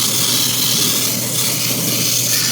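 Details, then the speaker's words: Airbrush spraying Vallejo Model Air red straight from the bottle: steady air hiss with a rough, uneven sputtering edge because the paint is a bit thick; thinning it slightly would help. "You can thin this a little bit. Actually, you can hear this kind of sputtering. It's because this paint's a little thick."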